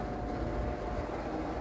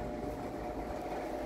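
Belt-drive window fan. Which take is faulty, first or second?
first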